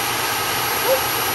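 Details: Repaired Dyson DC22 vacuum, previously broken and clogged, tested after reassembly: steady, even high-pitched motor and airflow roar with no rattles or surging, running normally.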